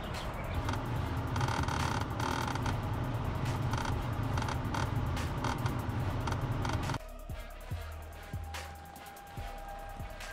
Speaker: Today we have a 2003 Lexus ES300 with a clicking noise coming from the dash.